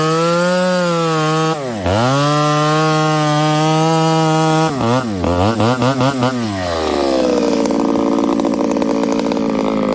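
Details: Ported Homelite 922 chainsaw after clutch and fuel line repair and a cooler heat range plug; the crisp two-stroke scream bogs as the chain bites very hard wood with punky spots, then recovers and revs freely; strong, clean running under cutting load.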